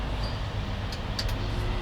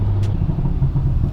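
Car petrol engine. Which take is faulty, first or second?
first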